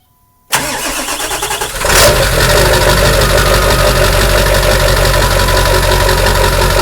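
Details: 7.3L diesel truck, cold start after sitting 8 hours at 76–80°F: cranks, catches and settles into loud, slightly uneven rough clatter with white smoke until warm, worse in cold weather; owner suspects bad injectors.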